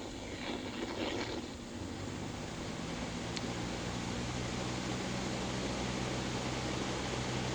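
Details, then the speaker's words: Accutrak VPE-GN Pro ultrasonic leak detector feeding a speaker shows a refrigerant leak on an HVAC system, low side at about 71 psig. A steady hiss stays clear over the hum and rushing air of a fan used to simulate wind. "We're going to go ahead and turn it on. So there's our leak."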